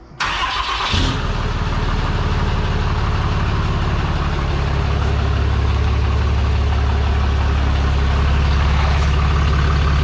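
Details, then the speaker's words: 6.7 Cummins diesel truck first start after a failed VGT actuator turbo was replaced with a non-VGT turbo and manifold, coolant being added: brief crank, catches and settles into a steady, even low idle rumble; clean healthy start. "So now we're filtering some coolant, and we're getting ready to start it up and see if we leak oil everywhere."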